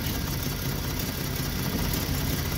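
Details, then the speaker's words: Free Jeep six-cylinder with a new distributor and new plugs: rough, stumbling idle with a low, lumpy exhaust beat, and one exhaust runner reads very low on the temperature gun, so one cylinder is still misfiring; cause not found. "yeah that's very low so it seems like it's still misfiring"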